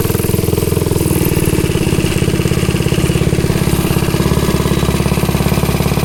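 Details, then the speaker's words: Ghost engine on the "Green Ghost" mini bike, riding test after fixing kickback and hard pull-start: steady, rapid, even firing beat under load, no misses or rattles; pulling strong and healthy. "We'll see what she can do. She sounds good. She sounds really good."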